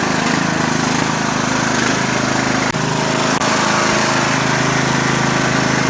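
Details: Murray Select 12.5HP 40-inch lawn tractor with replacement engine from another mower: loud steady single-cylinder drone at even speed with no misses or knocks, running healthy.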